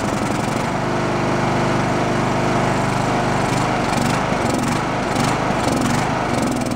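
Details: Abandoned Poulan Pro riding mower, valves roughly adjusted, blown head gasket suspected, running on choke: uneven chugging about two pulses a second that surges and sags; carb dirty with no idle circuit, no bottom-end knock; rough running.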